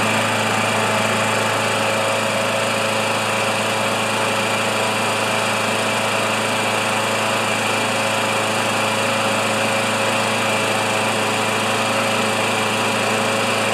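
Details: Older Murray mower with 158cc Briggs & Stratton Classic single-cylinder engine, drill-started: runs fast and perfectly even throughout with no misses or surging; healthy and steady.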